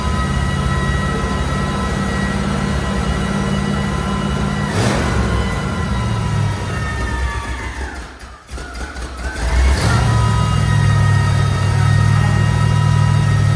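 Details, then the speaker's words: Buick after a fire, engine running with a loud steady hum that dips and returns with throttle, coming from the carburetor; likely something broken or loose inside, unconfirmed. "It's rare you hear a carburetor screaming like that, or something is You loose."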